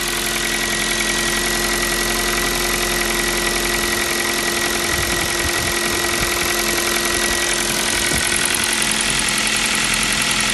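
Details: New Kia Rio 4 with 1.6 engine at steady idle: light, fairly regular knock about two per second over the engine hum; piston slap, the same sound the Kia Rio 3 had.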